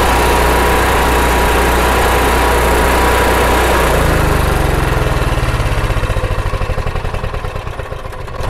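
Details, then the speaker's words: RV generator with a surging problem, after removing and cleaning the carburetor main jet and float bowl and fitting a fuel shut-off valve, Sea Foam not yet added: catches, then settles into a steady, even running beat without hunting; sounds better than before. "okay well not bad for a first time and it already sounds better than it did before we started"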